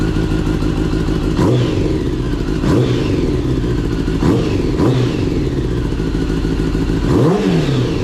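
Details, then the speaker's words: Kawasaki ZX10R motorcycle after an engine swap following catastrophic engine failure, with a used replacement engine still cold and the mic outside; sharp, crisp throttle blips rise and fall cleanly over a steady idle with no knock or clatter, sounding different from before. "It sounds completely different. It didn't sound like that before."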